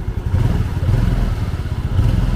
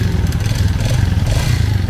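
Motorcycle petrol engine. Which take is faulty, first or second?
second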